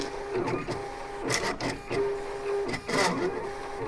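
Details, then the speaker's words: Silhouette Cameo vinyl cutter cutting HTV heat-transfer vinyl for a T-shirt: stop-start motor whirring with short steady tones and scratchy strokes as the head moves. Sounds horrible but is normal cutting operation. "Doesn't that sound horrible? I mean, it's doing what it's supposed to. It's just, it sounds terrible."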